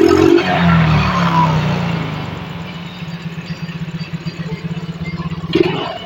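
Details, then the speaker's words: Yamaha Mio J / Soul GT scooter that was hard to start and stuttering with unstable rpm: after injector cleaning, idle settles smooth and even without throttle, with a couple of quick blips showing good response; normal idle. "nah ini sudah tanpa gasor motor sudah berbunyi enak ini sepertinya ya"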